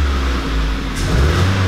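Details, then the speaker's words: Ford Focus 1.4 16V second generation revving at full throttle: uneven stumbling note, won't take throttle, sporadic misfire; coolant loss, ignition leads found wet with coolant. "Mit Fehlzündung. Also der nimmt das Gas nicht richtig an. Bei Volllast."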